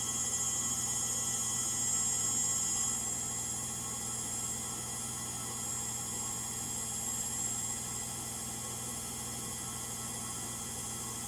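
A constant rushing roar with a thin high whine runs through the final spin, pointing to worn drive motor bearings.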